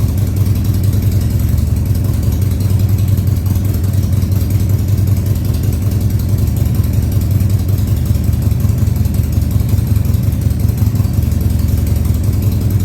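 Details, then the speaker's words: 2000 Harley-Davidson Sportster 1200 Custom, first start after six years sitting: after several throttle-held runs, a low steady V-twin rumble holds an even fast idle with no knocks or misses; oil tank then checked full. "okay i've run it a few times here with the throttle keeping it running and now i'm going to try i'm going to try starting it and getting it to idle for you maybe high idle for now"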